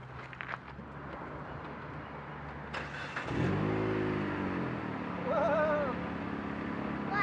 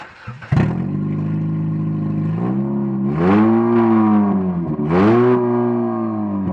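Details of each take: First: Car after a homemade muffler repair: engine catches into a steady low drone, revs rise once and fall back smoothly with no rasp or leak; exhaust sounds sealed and quiet. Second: Muffler disconnected from the exhaust manifold, engine running with open manifold: very loud, raw blatting exhaust that swells with each of two revs; exhaust leaking at the manifold.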